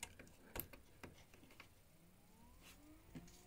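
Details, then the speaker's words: Cadillac ATS-V intercooler coolant pump run directly by jumping its relay: faint, uneven ticking and crackling over the quiet pump hum from small air bubbles. The circuit has trapped air and needs bleeding through a hose. "Là, on peut entendre qu'il y a des petites bulles d'air."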